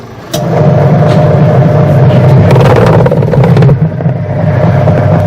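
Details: Super Asia medium-size washing machine test run after replacing the rotor, belt and pulley refitted: steady, even motor hum with faint constant tone, no knocking or scraping; normal running.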